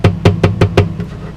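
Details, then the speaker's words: New Martin D-28 acoustic guitar with pickup: five quick hollow knocks about a fifth of a second apart, each with a faint buzz; loose mount for the tone controls rattling. "it's a mount for this over here for the flame and tone controls this one over here"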